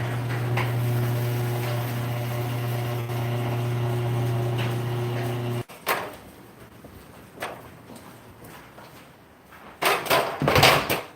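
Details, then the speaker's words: Garage door opener closing the door: a steady low hum with a coarse buzz, then clunks. It is quiet going up and louder without the door; the owner suspects the trolley vibrating: buzzing on closing. "We'll close this now. This one now. It's a little bit buzzy."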